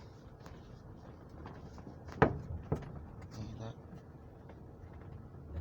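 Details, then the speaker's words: Toyota Camry driving on rough, bumpy roads: over the road noise, sharp hollow clunks come from the roof; a loose moonroof is suspected, not confirmed, later fixed after removing the seats and headliner. "that's like that clunking sound there that's what it makes when you go through bumpy roads like this roads are really pumpy they're really bad"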